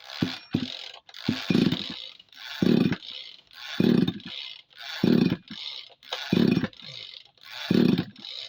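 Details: Tanika engine sprayer with a carburetor, hard to start: repeated pull-cord whirs, about eight in nine seconds, quiet gaps, no firing; cranks but won't start, owner suspects a wet spark plug or crankshaft seal.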